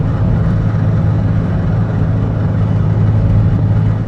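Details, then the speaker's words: Early Porsche 996 911 under acceleration after a gearbox noise repair attempt, noise previously heard in third when accelerating and sixth off throttle; coarse, loose rattle over the engine drone. Internal gearbox fault suspected. "oh no might be difficult for you to hear that sounds like someone's rattling a box of cocoa pops back there"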